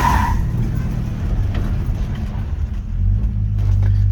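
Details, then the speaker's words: 1955 Chevy truck with new CPP frame-mounted hydroboost (replacing vacuum booster, cam makes too little vacuum), hard stop after driving down driveway: low rumble slows to a smooth stop, no squeaks or grinding; normal brake stop. "I'd say that's a nice stop. Nice and smooth, no squeaks. Slam on the brakes. Nice good stop."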